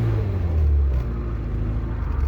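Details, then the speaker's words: Mazda MX5/Eunos Roadster off the road 13 years, first start on two-stroke oil mix: deep even rumble swelling with a throttle blip and settling without misses or knocks; clean healthy running. "god it's perfect it smells like a lawn mower listen to that i am delighted"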